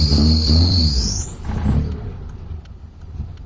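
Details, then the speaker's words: Mitsubishi Lancer that hesitates when overtaking, after carburetor cleaned and refitted with vacuum line reconnected, before carb and distributor tuning: engine catches with a rising whine and low rumble, then settles into a quieter, uneven run. "So start tayo ng engine mga bossing. So yan, mandar na mga bossing."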